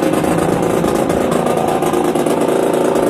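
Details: Yamaha DTR 125 two-stroke, first start after fitting an unrestricted Gilera SC CDI unit, new seals, Big One exhaust, powervalve fully open, 240 main jet: crisp, even raspy idle, steady and clean with no misses; normal idle.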